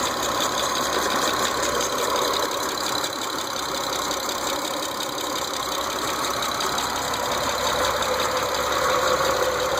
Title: 06 eclipse gt ticking noise